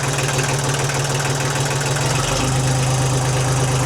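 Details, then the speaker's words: 1991 Kubota L2050 DT diesel tractor, started after repeated starter clicks: slow, heavy diesel chug at a low, slightly uneven beat with steady clatter; low idle speed. "I turned the key a couple times, same just click, and then all of a sudden it started. Sounds great."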